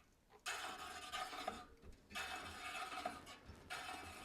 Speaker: and you can see the Gap and you can hear the rubbing and the rubbing is a high spot where the rim is too high and the where it's not rubbing is a low spot where the rim is low